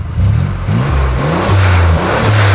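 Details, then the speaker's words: Turbo 4.3L V6 AWD S10 pickup after reattaching a fallen-off spark plug wire; strong, clean revs rising and falling through several blips, smooth pull with no stumble or miss, running on all six cylinders. "sounds like our truck but better yeah that's more like it it sounds a lot better"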